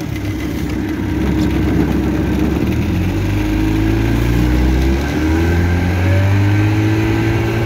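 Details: Restored 1962 Evinrude Fastwin 18hp two-stroke outboard on a lake test, running 24:1 fuel mix from a pressure tank after repairs including a new throttle cam roller: steady drone under way, pitch rising smoothly with throttle, no misses or knocks; running normally.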